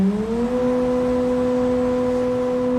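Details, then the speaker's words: Emco UMill 630 CNC spindle at its maximum 15,000 rpm: clean, high, steady whine, higher pitched but resonating less than at 11,000 rpm. The spindle runs smoothly, and 14,000 rpm is quieter still. "Now, that's a little bit better, right? Even at that higher RPM, it's a little bit higher pitch, but it's not resonating as bad."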